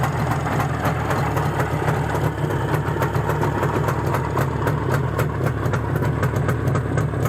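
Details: Izh Jupiter-5 two-stroke with balanced crankshaft, idling after about 2 litres of petrol burned with Rostov pistons fitted; even, rapid burble with steady low rumble and no knocking or rattling, the feared piston ringing has not returned; normal idle.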